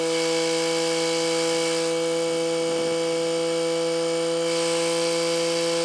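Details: Excavator with Mitsubishi K3E diesel after installing a new water pump: steady, even diesel idle with a constant droning pitch and no knocks or misses; engine runs fine after the repair.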